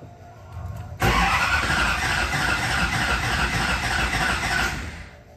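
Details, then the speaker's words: New SoCal Diesel built twin-turbo 1,000 hp Duramax at its first fire-up: a long crank with a choppy, uneven chuff that never catches. First blamed on trapped air; actually the harness was mis-pinned for the cam's firing order. "all right y'all so basically that just kept happening and happening and happening but it was so close to firing up that we didn't think there was anything wrong"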